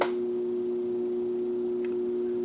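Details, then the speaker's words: BK E200D, modulation initially not working out of the box: with the supply raised above 60 V, a clean steady mid-pitched tone holds without wavering or dropouts; modulation now working. "let's crank up the voltages a little bit seems to be working pretty good you I'm sure that sounds good"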